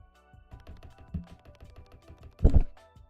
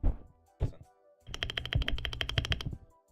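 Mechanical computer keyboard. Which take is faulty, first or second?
second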